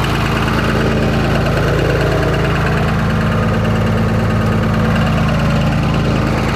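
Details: Cummins diesel at idle: a steady deep rhythmic knock, about three per second, over the clatter. Owner suspects a rod knock, not confirmed.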